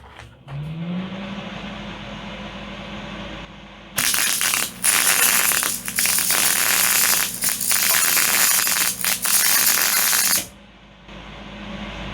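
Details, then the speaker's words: MIG welder with voltage turned all the way up: soft steady hiss with loose crackle instead of a crisp sizzle, making a puddle rather than a bead; too much voltage. "Yeah. Yeah. It's got a lot of soft hiss. It's just kind of It's too much voltage. It's kind of just It's making like a puddle instead of a bead."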